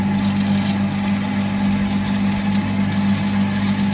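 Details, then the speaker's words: New smart pressure water pump on PVC pipe, not yet bolted down, run with plastic cover installed: steady hum with buzzy fluttering rattle, noticeably louder because the cover touches the pump and vibrates. "And that makes it actually noticeably louder. And that's just because uh the cover is touching the pump at some position at some point and that creates a vibration."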